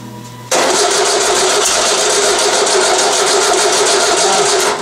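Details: VW 1600 dual-port engine on a test stand, cold, cranking evenly and fast for several seconds without firing; the carburetor float bowl had not yet filled.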